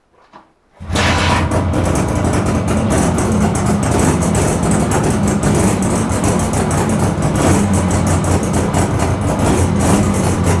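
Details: 42-year-old Suzuki 200 two-stroke twin, revived after fitting replacement secondhand barrels and pistons for piston slap: engine catches and settles into a busy, crackly two-stroke idle, fairly steady with no knocks or misfires; sounds healthy.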